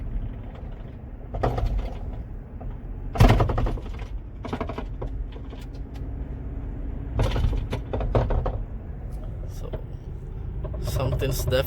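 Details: 2006 Toyota Sienna before repair: irregular loud clunks every few seconds from the right front wheel as the body moves. The front strut mount tower had rusted through, letting the strut knock.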